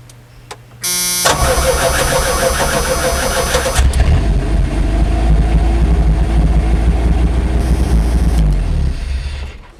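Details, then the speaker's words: 1991 Chevy S10 four-cylinder revived after sitting, fresh fuel added, fuel pump heard priming: brief crank, catches quickly and settles into a steady, even idle for several seconds before shutoff; runs; normal start and idle. "Okay, that's all I wanted to hear. It runs. Good."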